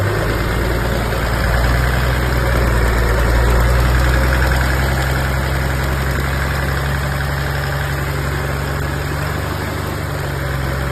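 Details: Toyota 1HD-T diesel, car jacked up, in gear at 1400-1600 rpm with brake applied for load, warmed: steady running with a faint regular tick about four per second over the drone; new big-end bearings, tappets set loose, compression even 480 psi; cause unknown.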